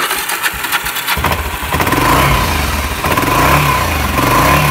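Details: Old ATV that sat in weeds 3 years, after new carburetor, plug, fuel filter, shutoff valve, air filter, rectifier, oil and charged battery, with the fuel valve finally turned on: the single cylinder fires after a second of cranking and settles into a lumpy, steady choke-on idle.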